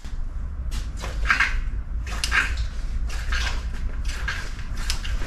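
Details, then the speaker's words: Radon Swoop enduro bike, Fox X2 rear shock worked by hand: wet, sloshing gurgles each stroke, classic X2 suction and oil cavitation problem, shock to be returned to Fox after-sales service. "on est sur un problème de X2 classique des problèmes de suion et des problèmes de cavitation donc c'est un retour SAV chez Fox"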